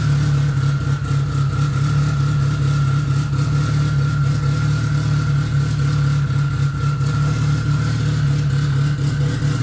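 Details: Modified Mitsubishi Evo on true E85, cold morning about 35-40°F, just started after long cranking: deep, steady, even engine drone with strong low beat, no knocks or misses; runs smoothly.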